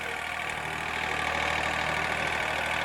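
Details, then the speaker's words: John Deere 3038E diesel tractor with a 305 loader and 210 hours, driving forward in 4-wheel drive, low range, with a little more throttle: even diesel clatter, no uneven knocks or misses. It runs normally. "No problem, sounds good. Give it a little more throttle. 4-wheel drive working great."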